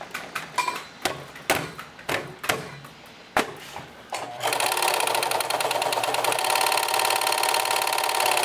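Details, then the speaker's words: Singer 4432 heavy-duty sewing machine, used heavily since September 2024, just cleaned, oiled and greased: a few loose clicks, then a fast even clatter when run, with a possible faint knock; it has always been noisy and needs adjustment investigated. "And let's see what it sounds like when I run it. I'm not sure if there's a bit of a knock here."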